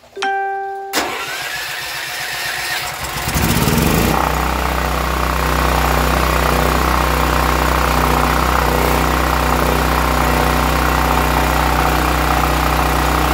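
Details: Brand-new Westinghouse WGEN9500 generator that surged on bad gas, after evacuating the old fuel and pumping in fresh gas: the starter cranks briefly, then the engine catches and settles into a steady, even hum with no surging. The fix worked.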